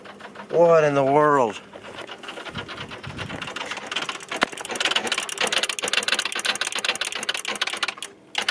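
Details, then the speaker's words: 2013 Chevy Silverado no-start on booster: fast uneven chatter of dry clicks, several per second, no cranking, from starter and powertrain relays; grounds good, owner suspects a short or starter, unconfirmed. "these two were clicking like crazy which is starter and powertrain there's a short somewhere but i don't know where"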